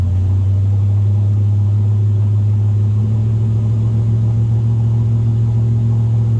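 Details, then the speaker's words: Luhrs 28 boat engine with Edelbrock carburetor, revved in neutral without load from about 1350 to 1600 RPM: steady, smooth low rumble with no stumble; the usual hesitation above 1200 RPM did not show. "Okay, that's 16. It should have done it by now. It's not doing it now."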